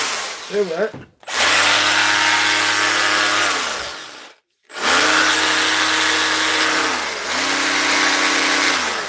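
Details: Repaired Milwaukee tool after mode selector repair: two firm bursts of high motor whine that step down and back up in speed, smooth and even; the tool runs properly.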